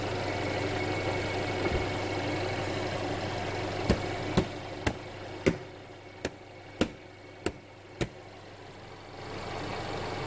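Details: Mercedes CLA after a DIY oil change with Mobil 1 0W-40 and OEM filter, while the engine cover is fitted: quiet, steady idle with no knock or tick, just a few sharp handling clicks nearby; normal idle.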